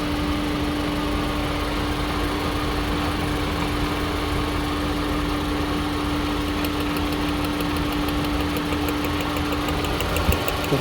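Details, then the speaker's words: VW Polo Vivo idling with a steady drone and an uneven, lumpy beat from a cylinder 2 misfire. The coil pack was ruled out, and a carbon-fouled spark plug was found as the cause. "We seem to be having a misfire on cylinder 2. On startup and I can clearly hear and see the misfire."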